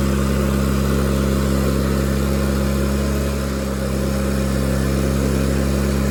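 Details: Miller Bobcat 225G welder-generator, idle for years, after starter solenoid, ignition pickup, alternator, fuel pump and fuel line repairs, while welding: constant low hum holding speed under load with only a slight dip; the welder works fine.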